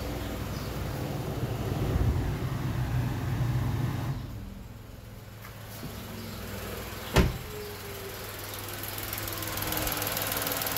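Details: 2020 Tata Nexon BS6 XZA+S petrol engine idling with a smooth, steady hum. The load drops noticeably partway through as the AC appears to shut off. Normal idle.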